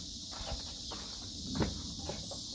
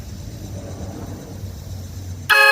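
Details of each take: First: You don't understand what that sounds like in a truck this size. It's just awful. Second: Chevy Silverado 5500HD with a new aftermarket air horn replacing the stock horn, key on, compressor pumped up: a loud, clear, steady blast with a bright, even tone once air has run through it; correct horn tone.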